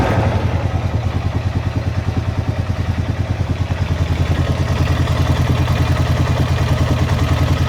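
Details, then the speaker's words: Honda Rubicon ATV (same noise on Foreman), cold engine: steady idle with a fast, even top-end clatter about three clicks a second; rocker arm noise typical of these Hondas, quieting as it warms up. "it's the sound of a rocker arm you guys making that noise all these Honda's do that when they get hot don't mellow out they're cold they're a little noisy"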